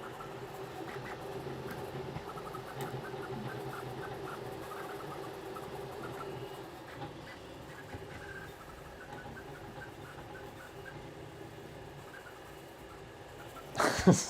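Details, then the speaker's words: Rat Rig V-Minion 3D printer, high-speed tuning: steady motor whir with faint irregular light clicks, about three to four a second, a plastic scrapey sound; cause unclear, possibly cooling duct catching filament. "it's clicking it sounds like when the like a cooling duck catches on a bit of filament that's like pointing upwards a little bit it sounds like that kind of plastic scrapey sound"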